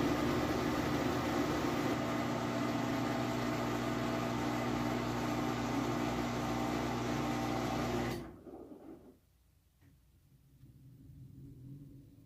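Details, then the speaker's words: Whirlpool Cabrio high-efficiency washer at high-speed final spin with a very heavy load of jeans and towels; smooth steady hum with no growl or knocking, then winds down quietly, no bearing noise. Normal spin. "But you can see here it is very smooth. There's no shakes or anything like that. There's absolutely no bearing noise whatsoever."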